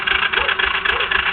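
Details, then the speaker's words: Yamaha Breeze 125 after replacing the wiring harness, voltage regulator and lighting generator: steady rhythmic chugging of the starter at about four pulses a second with a little throttle, no firing; cranks but won't start, oil found inside. "this is what it does give it gas give it a little gas it goes chug chug chug like it's going to start"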